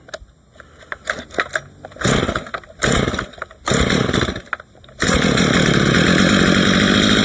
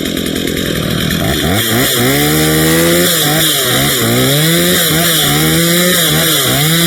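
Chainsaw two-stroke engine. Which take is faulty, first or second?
first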